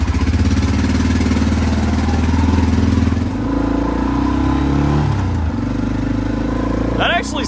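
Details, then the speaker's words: Arctic Cat 400 4x4 ATV with a homemade straight-through glasspack/resonator built from the original muffler: even thumping idle with a throttle blip. Exhaust note is deep and mellow, not obnoxious, with no rasp or leaks; sounds healthy. "you probably can't tell on camera but in real life it sounds really good you can hear it but it's not obnoxious"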